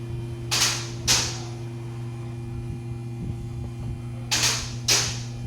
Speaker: '99 Honda Civic. Broken camshaft.